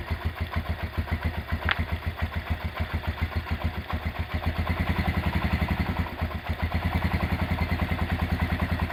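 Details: Restored Honda GL100 engine, possibly about 2000–2002, with new Aspira piston, CDI ignition and inlet valve clearance 0.10: even single-cylinder putter at idle picking up cleanly when revved, no ticking or knocking; healthy engine.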